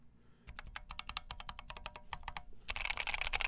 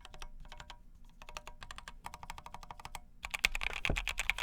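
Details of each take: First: POM plate in a KFA Corse60 keyboard with AEBoard blaecks switches: typing sounds as expected for a flexible, forgiving POM plate apart from scraping noise near the blocker area, where the plate contacts the case; quick soft muted clacks, normal typing sound. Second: KFA Corse60 keyboard, POM plate, AEBoard switches, polyfill added: quick clacking with dull, dead-sounding number-row keys; plate sits off-centre, needs pushing over or plate modding.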